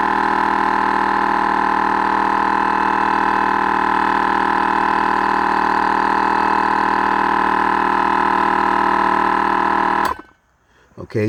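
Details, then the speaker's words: Train horn air compressor wired to accessory power, started at about 60 psi: steady motor drone with quick pulses about three per second, stopping near ten seconds at about 93 psi instead of rated 120 psi; unexplained air leak too. "just like clockwork it cuts off at about 93 psi supposed"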